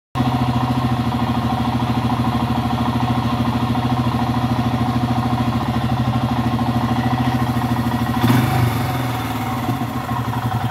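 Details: Motorcycle idling high near 2,000 rpm after parking at just under 1,500 rpm, following three hours of riding and idle adjustment; brief disturbance near the end, cause unknown.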